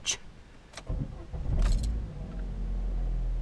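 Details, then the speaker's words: 2014 Vauxhall Astra J after DIY service with oil change: a couple of clunks, then the engine fires promptly and settles into a smooth steady idle with no knocks or misses; normal engine start. "reverse off the ramps and yet we're sounding good"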